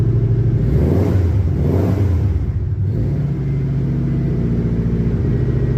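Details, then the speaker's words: Old boxy flat-four car on a snowy cold start: a steady, even low rumble just after it catches, with a slight rev blip and no knocks or misses. It runs clean, though low on fuel. "all right this thing's going to fire right on up let me get you guys set over there and you can hear how mint this thing sounds"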